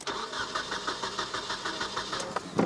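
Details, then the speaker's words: 1996 Nissan 2.4 cranks evenly at about seven beats a second without firing; no spark across a half-inch test gap, fuel smell present, pointing to an ignition fault. "all right so no spark there um I wouldn't immediately go toward no spark let's make sure and narrow the air gap a little bit cuz that was a pretty wide Gap that I gave it"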